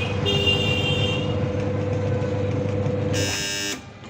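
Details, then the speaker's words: Voltas Beko 14 kg semi-automatic washing machine in for repair, back panel open, wash side tested first. Steady low motor hum with a faint whine and a brief higher tone near the end, then it stops. Wash motor runs normally; spin motor later found jammed. "এতিয়া প্ৰথম wash সাইডটো চলাই চাওঁ মেচিনটো problem কি হৈছে।"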